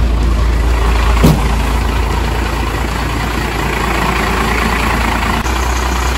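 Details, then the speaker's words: First-gen Dodge Cummins diesel, in neutral, fired right up after the front clip was removed and reinstalled. It gives a steady, even idle clatter with a deep constant rumble and no misses or knocks. "okay let's go ahead and try to fire it up oh she just fired right up"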